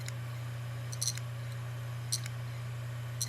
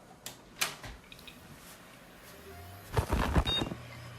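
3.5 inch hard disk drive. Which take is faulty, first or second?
first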